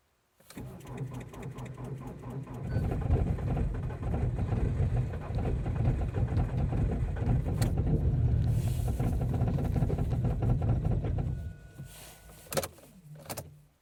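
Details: Ford Focus 2.0 TDCi diesel, cold start after a night at -18 to -24 °C in Częstochowa, Poland: about two seconds of slow, laboured cranking before it catches loud and rough; a hard cold start.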